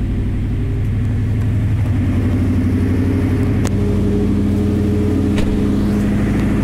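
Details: 2004 Subaru Forester XT with an STi turbo engine swap: a deep, uneven rumble with puffing pulses. Exhaust leak because the rear half of the exhaust has no hangers and the catalytic converter is cracked.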